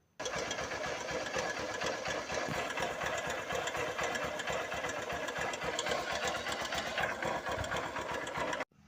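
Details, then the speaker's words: 2007 Honda Titan 150 carbureted motorcycle at idle: fast, light metallic clatter like iron striking, riding over the idle rather than a deep thud; points to a slack timing/cam chain, not the connecting rod. "pessoal vocês viram aí é um barulho bem chato é como seesse ferro batendo né"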